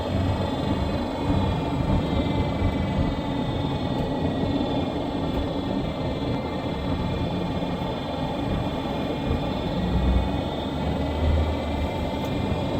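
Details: 2017 Nissan Rogue driving on the road: constant high-pitched whine from the rear end over road noise, present all the time and lessening only when slowing; worn rear differential coupling, which gets replaced.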